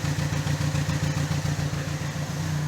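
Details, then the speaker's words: 2013 Chevrolet Cruze 1.4 turbo with P0300, check engine light and rough running; lumpy idle with a thudding stumble, the exhaust fluttering and smelling strongly, pointing to spark rather than fuel; a deformed coil boot was found; dead single-cylinder misfire. "I don't know if you can see the flutter in the exhaust smoke there but it's pretty much a dead misfire right now but it stinks"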